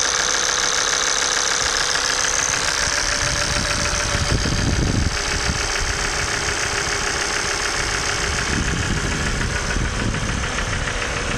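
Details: Idling engine with a fast, uneven ticking knock and heavy top-end clatter, though a diagnostic scan found nothing. Injector and oil pump knock from faulty injectors and oil pump; noise gone after replacing both.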